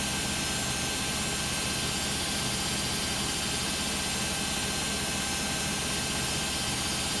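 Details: Beko WM5100W 5kg washing machine, found on the street and plumbed in, test-running a rinse with rags: a very loud, steady roar with a harsh hiss lasts the whole roughly 10-minute spin. Noisier than it should be; cause unconfirmed.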